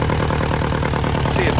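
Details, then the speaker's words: Abandoned Hyundai non-runner with fuel rail bolts removed: uneven, chuffing idle with a steady low pulsing beat; runs only with injectors unseated, choking when seated, dies out on throttle; cause unknown. "so that's getting enough air through those injector PS to to allow it to run there but as soon as you put that in there it's like you're choking it"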